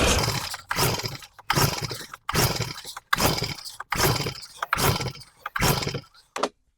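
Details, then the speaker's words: Stihl BR600 leaf blower, carb just rebuilt, fuel sprayed in, switch on, no choke: seven rhythmic pull-cord rasps with no firing pop at all; won't start, later traced to no spark. "All right, normally I would hear like a little bit of a pop off there. Sometimes it's maybe you'll flood it or something, a spark plug. But usually at that point, I'm going to get a little bit of it to pop off."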